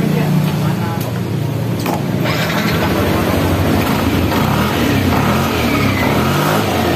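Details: Yamaha NMAX scooter after CVT maintenance (pulley bearing still good, CVT cover and filter refitted, filter dirty): starter whirs, engine catches and revs smoothly, settles evenly without rattles or slipping; runs normally.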